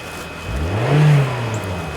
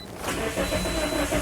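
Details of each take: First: 2010 Toyota Corolla 1.8 L with immobilizer codes B2797 and B2799 starts with a new key, security light still on. It revs smoothly and settles back evenly with no misses or knocks: normal revving. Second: 2010 Toyota Corolla 1.8 L, codes B2797 and B2799: starter turns the engine over at an even rhythm but it never catches; crank no start, immobilizer not recognizing the key, starter fine.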